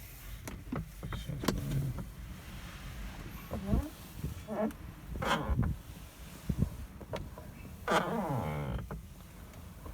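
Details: 2018 Lada Vesta door creaking with a sliding, rising groan each time it swings open or shut, from the door check straps (limiters), before they are modified.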